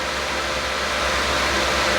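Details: Lenovo ThinkCentre M91p running Windows 10: a steady, loud, airy fan rush that doesn't vary. The fan is stuck at 100%; the owner suspects a board fault or a BIOS setting.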